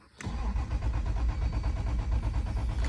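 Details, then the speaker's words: 1989 Toyota Supra MK3 Turbo with fresh 93 octane and Seafoam, fuel pump audible, about nine volts, no spark: starter cranks steadily and slowish for about three seconds but engine never fires. "all right guys let's try to troubleshoot this I get no spark"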